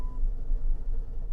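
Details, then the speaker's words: Salvage-auction car started on the lot: low, lumpy idle that surges and dips, running very poorly right after start. Possible mechanical problems suspected. "Yeah, she's. Oh, that did not go well at all. She ran, but she ran very, very poorly. So, yeah, this could be some mechanical things going on right here."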